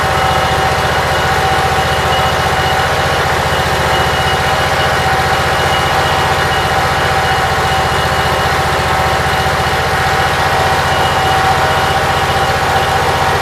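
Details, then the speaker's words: Briggs & Stratton Vanguard engine with a Briggs carburetor, after rewiring, cold (~50°F, windy, run only 5–10 minutes), charging at 13.3–14 V: steady, even idle with a smooth low thrum and no misses or knocks; everything working, runs pretty good. "Everything seems like it's working. I have no complaints. Runs pretty good."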